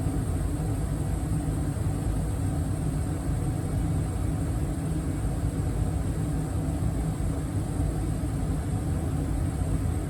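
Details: 2023 York HVAC system indoor furnace blower running on high in cooling mode, after evaporator coil replacement fixed earlier freeze-up; steady, even low rumble of rushing air, no ticks, rattles or squeals. Normal blower operation.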